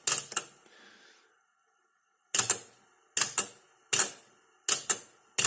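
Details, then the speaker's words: Realistic TR-169 8-track player powered via a 230-to-110 V step-down converter, no cartridge inserted, head-shift solenoid triggered; sharp double clacks about every three-quarters of a second in a quiet room as the head shifts programs, working properly. "There we go, it shifts the head around."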